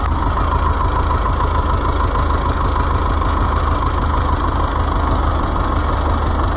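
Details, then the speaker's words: Oliver 1355 tractor diesel on its first start after a new fuel pump: a heavy idle with a steady low clatter and slight unevenness. It runs a bit rough, and the owner says the injection timing is close if not exactly right. "come on got it ah yeah it's if it's not in time it's close"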